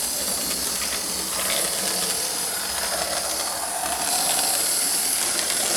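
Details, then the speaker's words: Lima Express Parcels van model railcar after 3D-printed replacement of a broken small gear, running on the layout track: steady faint high whir with light track noise, no catching; runs fine, new gear probably needs running in. "seems to be all right actually being a new gear it probably needs to get run in a bit of a tank"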